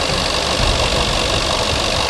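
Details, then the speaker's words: Supercharged Range Rover with 216,000 miles, running at idle after the owner replaced a coolant line; an uneven rattly, clacky knock sits over a busy idle, cause not pinned down, with no engine warning light. "Um, but yeah, there is definitely a sort of knocky sound. I say the best word to describe that noise is clacky."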